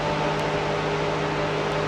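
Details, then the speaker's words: First-gen Cummins truck with newly installed Derale electric cooling fans, cold start, tested: strong even air rush with steady low hum, no rattle or wobble; fans running smoothly with strong suction. "They're freaking ripping away. I'm sure you guys can hear that. See what kind of sucky shun we got. Look at that. That'll keep her freaking cool, boys."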